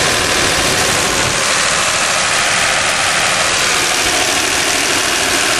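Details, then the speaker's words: 1977 Dodge van, cold engine at idle needing radiator water: dense clattery diesel-like rattle, which reportedly goes away once the motor warms up; cause unclear. "And when it warms up, the noise goes away on the motor. Right now it sounds like a diesel."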